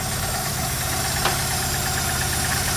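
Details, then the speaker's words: Opel Manta engine under rebuild, running with no cooling, distributor backed off: uneven, lumpy idle with an irregular beat, judged not a misfire; ignition timing suspected too retarded. "That's lumpy, that. It's not misfiring."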